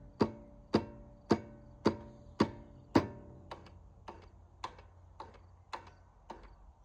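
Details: Stiga Combi push-button electric-start mower. Sharp solenoid clicks repeat about twice a second but the engine won't turn over. The owner suspects the battery, the starter motor or the starter-to-engine gear mechanism.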